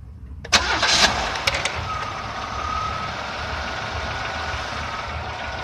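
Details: 1997 Oldsmobile Cutlass Supreme SL with 3100 V6 catches and idles with an uneven light ticking knock, about three a second; owner suspects piston slap, not confirmed.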